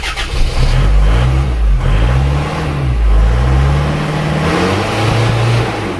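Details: Isuzu Panther diesel after nozzle, valve and injection pump timing setting, just started; harsh, hard-edged rattle as it revs up and settles, injection pump timing set too far advanced.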